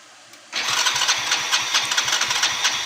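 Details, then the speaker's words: Hero HF Deluxe BS6 motorcycle with fuel pump fine, starting then shutting off repeatedly, no pickup, stalling when slowed: catches abruptly and runs with an uneven lumpy beat that won't settle. "একবার start হচ্ছে আর বন্ধ হয়ে যাচ্ছে, start হচ্ছে আর বন্ধ হয়ে যাচ্ছে, সেটা পিক আপ নিচ্ছে না। আবার যখন স্লো করছি গাড়িটা বন্ধ হয়ে যাচ্ছে।"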